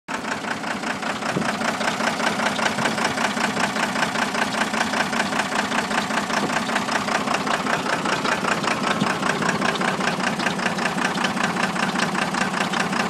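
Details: 1993 first-gen Cummins diesel at idle with a dead miss on cylinder 2: stumbling rhythmic clatter with a missing beat each cycle. Cause is a blown head gasket with a nickel-size hole between cylinders 1 and 2.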